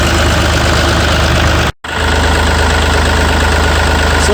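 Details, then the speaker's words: Yanmar 3TNV88 diesel in a Yanmar C30R idling after a primary fuel filter water separator element change and fuel bleeding: steady low chug, one brief dropout, no knocks or misses, no leaks found. "Let's turn the key to the on position. We'll hear the electric lift pump on. Yeah. Let's crank it over and fire it up."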